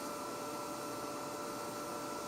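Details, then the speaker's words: High voltage applied to a cut wire in a deep installation, about 250 to 300 volts bridging the gap, cut end sealed with glue: steady, light, high-pitched buzz with no low rumble; arcing across the cut-wire gap. "applying high voltage there's a lovely light buzzing sound that sounds like it's a it's the right sound for it to be"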